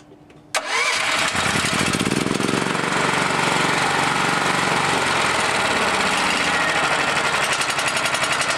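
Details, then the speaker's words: Generator engine, used for welding and unused for quite a while, after fitting a new tri-fuel (LPG/NG) carburetor and adjusting idle: on gasoline it fires at once and runs steady and even, no misses or hunting; normal running. "But it runs good on gasoline. We've confirmed that. It's solid on gasoline."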